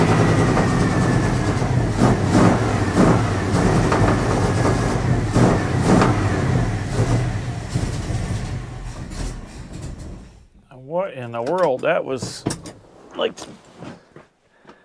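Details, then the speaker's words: 1980 Dodge W200, Magnum 5.9L V8 with Holley 600 cfm 4-barrel, cold start, choke wired open, dry carb primed by cranking: heavy, boggy, uneven roar that dies off, fully rich from wrong jetting and 9.5 power valve choice. "that's terrible that's like full Rich what is going on with this thing why in the world"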